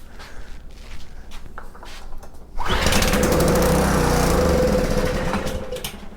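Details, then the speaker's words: Subaru EA190V pressure washer, no choke, starting fluid down the carb throat: quiet cranking then a short rough burst that dies; fires on fluid, so fuel delivery problem at the carburetor, tank almost full. "Okay, we have a pop and a bloop. So that means that there is a fuel delivery problem, or maybe lack of fuel."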